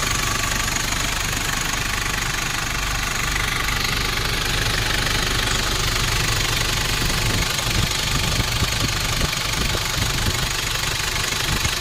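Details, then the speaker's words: 1994 Nissan Big M with BD25 2.5 L four-cylinder direct-injection diesel, started for test: starts easily, even diesel clatter at steady idle, regular ticking with no misses or heavy knocks; healthy idle. "ลองสตาร์ทฟังเสียงสักหน่อยนะติดเลยหรอติดง่ายติดง่าย"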